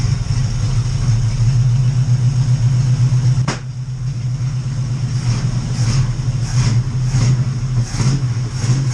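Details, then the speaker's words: Oldsmobile Cutlass V8 with freshly rebuilt Edelbrock carb just reinstalled, not yet adjusted: revving with uneven lumpy note and unsteady pulses; rough running, carb adjustment suspected needed, not confirmed. "it's not running that great but i mean it's running so uh that's it for now"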